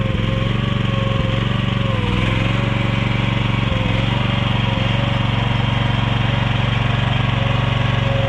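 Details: Mini excavator with pull start, repaired after being bought broken and then sitting about 3 weeks, oil still to be checked; small engine holds a steady, even putter at constant speed, no misfires or knocks, running pretty good.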